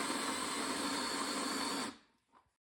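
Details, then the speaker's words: 60-degree countersink bit drilling aluminium Nissan wheel lug-nut seats for a 1997 Toyota RAV4, held straight and pushed hard: a steady, even drill note for about two seconds with no chatter, cutting cleanly. "It's important to hold the drill bit perfectly straight and push down hard."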